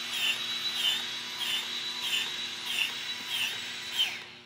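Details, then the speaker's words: Battery-powered grease gun on low speed greasing Zerk fittings on a Rayco C120 mower head, about 20 pumps: over a low motor whir a high squeaky click repeats about every two-thirds of a second as grease pumps out normally. "again with a battery power grease gun most of them in a low speed you'll be able to hear clicking giving that pump if grease out"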